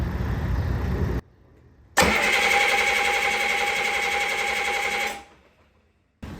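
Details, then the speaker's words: 1972 Caterpillar 3306 10.5L straight-six diesel from a 977L track loader, first crank after a nine-month full rebuild on 24-25 volts, before oil pressure builds; strong steady three-second crank with even compression pulses, no skipping or grinding: healthy cranking. "all right let's see man that sucker's got some compression"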